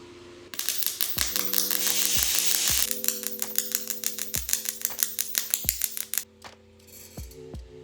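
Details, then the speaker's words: MIG welder at 14.5 volts with unchanged wire speed, running a stringer: arc pops and sputters unevenly instead of crackling smoothly because voltage is set too cold, giving a bad weld with zero penetration. "right that was painful but you guys can hear that it was sputtering it sounded sick it sounded bad"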